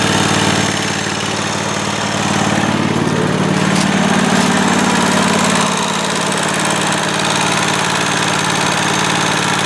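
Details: John Deere 345 garden tractor, Kawasaki FD611V twin-cylinder, started after cooling-system service (radiator flushed, new hoses, fresh coolant) and warming to operating temperature while checking for leaks; steady, even twin-cylinder beat with no misses, knocks or rattles: normal running.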